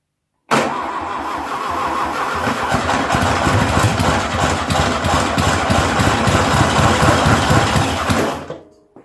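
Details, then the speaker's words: 1972 VW Beetle 1200 engine laid up for decades, with spark confirmed, tried on its own fuel supply: it cranks, fires and catches unevenly for several seconds, never settles into idle and dies; the fuel pump delivery is suspected. "it wants to run but i don't think it"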